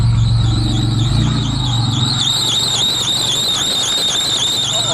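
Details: 3.3 engine in a vehicle not started since June, cold start in snowy December; it has a history of alternator seizing. Steady high squeal with a slight wobble over a cold idle: belt slipping on a seized alternator.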